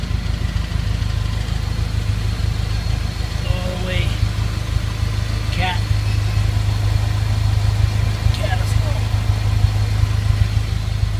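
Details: Honda CR-V (1999 or 2000) with 192,000 miles idling steadily with a smooth low rumble and no exhaust hiss or ticking, after the clogged catalytic converter was cut off and a new stainless exhaust fitted.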